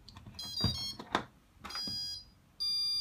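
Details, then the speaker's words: Q-Brain 4-in-1 ESC after flashing BLHeli 14.2: short run of high musical beeps then long steady tone as throttle is dropped to minimum; normal calibration tone sequence setting minimum point. "so and that's the tone sequence that sets the minimum Point okay what you must do now is just recycle power"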